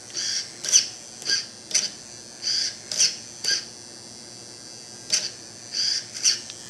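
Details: Redcat Tornado S30 buggy with a new EXI D227F digital steering servo replacing the stock one: about a dozen short, sharp high-pitched buzzes in seven seconds as it swings. Noisy but faster and stronger; normal digital servo whine.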